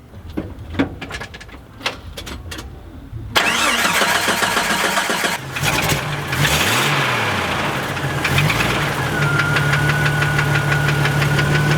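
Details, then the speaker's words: Jeep found bone dry of oil with no leaks, clicking suddenly when moved: cranks and catches, then idles with a faint fast regular tapping. Owners suspect bad bearings or rod knock, not confirmed; the oil pan is to come off. "it sounds like it's got bad bearings now it's got rod knock"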